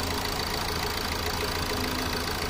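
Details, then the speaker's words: Hyundai Accent diesel at idle after injector replacement and injector coding by scanner: steady even idle with light uniform clatter; the earlier knocking (tak-tak) heard inside the cabin is gone. "Kanina matuktok talaga. Rinig na rinig dun sa loob."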